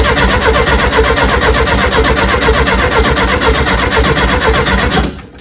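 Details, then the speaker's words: 1970 early T2 Bay Window VW campervan, just-reinstalled engine: fast even cranking at about four beats a second that never fires, then stops. Owners suspect lack of fuel, though fuel may now be in the filter, or spark plugs; cranks, no start. "I think it might be a lack of fuel or we got fuel in there now in the filter we could check the spark plugs are all it's turning but"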